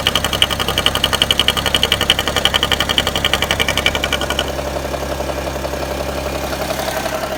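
An idling engine with a fast, even ticking and a faint high chirp that fade out after a few seconds.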